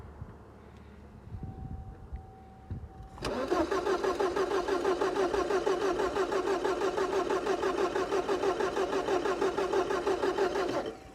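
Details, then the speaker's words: 1985 Porsche 944 sitting since 1998, first start attempt: starter cranks steadily about three turns a second for eight seconds without catching; spark confirmed present, injectors suspected clogged. "I don't think we have spark. So unsuccessful. We do have spark. I just checked that."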